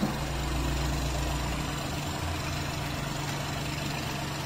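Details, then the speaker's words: 2019 Ford EcoSport EcoBoost, recently bought used: steady idle with rough chuffing pulse about four times a second from the open oil filler, heavy smoke and oil, abnormal crankcase blow-by. "Sabihin mo may langis siya an hindi normal talaga yan sir"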